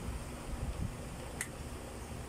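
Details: Astron wall fan after repair, broken gearbox replaced with one from a broken Airmax fan and swing arm refitted: soft even low hum through the oscillation with no clicking or knocking. Normal fan oscillation.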